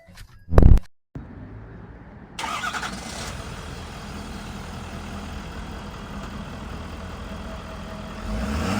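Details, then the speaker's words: 2015 Ford F-550 IMT 7500 4x4 service crane truck, diesel: it cranks and catches, then with the PTO on the idle rises and a light gear rattle appears, the normal harmless PTO chatter common to these Fords. "I did turn the PTO on so you can hear it does idle up and you can hear it. Now this truck does have the PTO chatter like all these Fords do. I've got 20 of them here that do the same exact thing."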